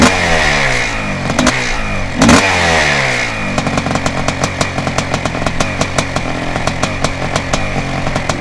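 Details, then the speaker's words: 1987 Yamaha YZ490 twinshock hybrid, air-cooled 490 two-stroke in a 1987 YZ250 water-cooled frame, built as a weekend race bike: crackling bark climbs and drops with the throttle, then settles into an even popping idle about four beats a second. Normal two-stroke idle and revving. "okay so we've talked a bit about the machine now let's get billy to fire up that 490 motor and have a quick listen to what it sounds like"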